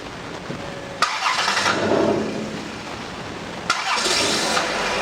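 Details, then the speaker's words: 2002 Dodge Caravan hard starter with fuel pressure leaking down on a teed-in gauge: brief crank then catches immediately, twice, settling to steady idle; starts easily right after running, suspected pressure bleed-back to tank or injector. "this particular one it'll start up really easy if you start it right now start it right now"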